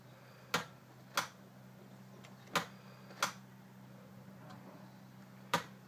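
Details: Ford E350 25-passenger bus, 7.3L diesel: single sharp clicks at uneven intervals, about five in six seconds, with no cranking; won't start even after the starter was swapped and the cables checked.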